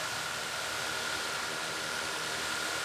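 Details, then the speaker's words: DJI Mavic Air 2 idling on a wooden table: steady airy rotor rush with a constant high hum, no wobble or rattle, drone sitting in one place without shaking; it only vibrated on a metal table. Normal idle. "now here it doesn't appear to shake at all you can see it's setting"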